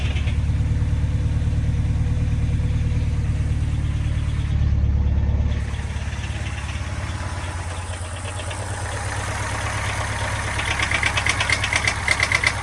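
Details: Subaru Impreza STI flat-four idling; light, fairly regular tapping about three a second, owner suspects piston slap, not confirmed.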